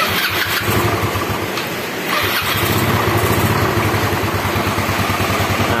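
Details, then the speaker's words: Yamaha Mio scooter engine, rebuilt from scratch, first start after reassembly while checking oil circulation: it catches and settles into a steady putter with a slight blip, running cleanly with no knocks or rattles. Normal running. "nah ini udah naik ya bro oke Guys Ini motor sudah hidup kembali ya Mantap"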